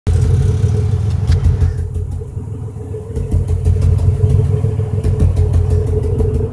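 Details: 2005 Impala 3800 V6 with code P0305: the idle has an uneven, stumbling beat with dropouts, about three pulses a second, over a deep rumble. Cylinder 5 misfire persists after replacing its spark plug, wire and injector; it began as a rhythm with no check engine light.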